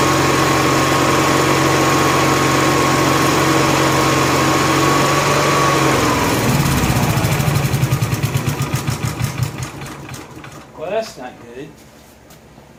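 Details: Honda gas-powered AEC welder generator, electric fuel pump on factory wiring, hoses clamped with no leaks: runs steady about six seconds, then the beat slows and stumbles until it stalls. Fuel starvation.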